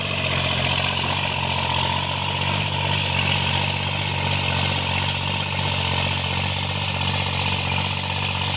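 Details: Tractor diesel cultivating under working load after an engine knock was repaired: steady, even drone with no knocking or tapping; runs healthy.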